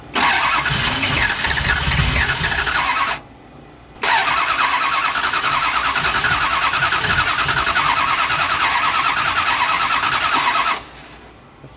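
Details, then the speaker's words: Drag car at the Las Vegas strip, plugs reinstalled, cranked with a little throttle: starter churns in two long bursts with a short pause, no firing pop; cranks but will not start. "okay go ahead and crank it [Laughter] and give it a little bit of juice but it didn't even act like it wanted to kick"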